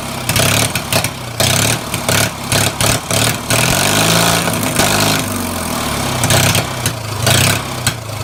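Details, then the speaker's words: Mower engine not run in over ten years, after new starter install: loud, ragged engine revving up and down with sharp exhaust cracks; backfiring, very loud in person. "so uh you guys saw that backfire or not but that was sick so the camera really does not give it justice on how loud this thing really is"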